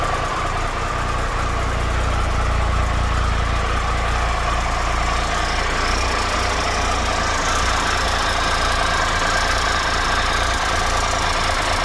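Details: 2013 Triumph Tiger Explorer, 34,000 km, idling after the cam chain, hydraulic tensioner and exhaust header gaskets were replaced: smooth, steady idle with only a light, even valve tick, nothing loud or uneven; normal idle.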